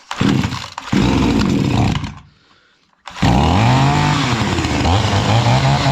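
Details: Chinese-engined two-stroke brush cutter that previously would not run, after repair, tested at full throttle: revs hard and clean, drops off, then picks straight back up to a strong steady buzz; normal running.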